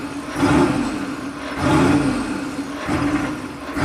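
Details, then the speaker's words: 1995 Chevy K3500 6.5 turbo diesel, 160,000 miles, new accelerator pedal and pump driver module already tried, no codes: just after startup it runs at 2,000 rpm against a desired 844, surging up and back about every 1.25 seconds; high idle. "So when you first start it up, it's at 2,000 RPM."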